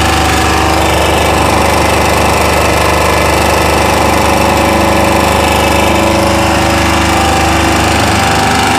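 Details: Chinese 2000-watt generator holding steady run with uneven knocking clatter, about three or four beats a second; abnormal engine noise, source unclear.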